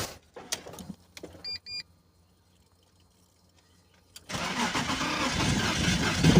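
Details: BMW Z3 engine long sat, no-start and misfire: brief cranking and clatter, pause, then catches with uneven wavering beat; owner suspects plug/coil issue.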